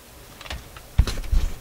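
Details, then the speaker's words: Philips console stereo tube receiver: quiet hiss broken by sharp irregular low thumps in one channel; after swapping tubes the popping moved to the other channel, so the fault is the tube. "There's the popping, and it's in the other channel. Oh my gosh. It's the tube."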